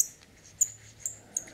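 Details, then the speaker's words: eXVape eXpromizer v4 RTA tank: four sharp, high-pitched squeaks, roughly one every half second, as the top cap is turned; characteristic squeak, cause not confirmed. "вот слышите характерный скрип скрипт"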